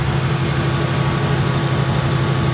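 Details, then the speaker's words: 2018 Ford Mustang V8 idling after a drag strip run: steady, even low rumble with no ticking or tapping, only normal direct-injection sound; engine healthy, no tick. "You don't get that same noise. This car does have 14. Let's just hear it."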